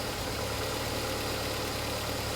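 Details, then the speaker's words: Ford engine after new plugs, leads, coil pack, fuel filter and exhaust work, first start after the ignition service: smooth, even petrol idle with a soft steady purr, no misses or ticking; normal healthy idle. "There you have it. A lovely a lovely running engine."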